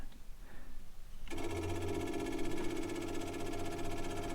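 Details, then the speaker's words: Vehicle at tank museum, ignition on before start: after brief quiet, rapid even ticking of old electric fuel pump priming steadily; normal fuel pump priming. "Hear the old fuel pump clicking away. There we go. There we go. Got some fuel in now."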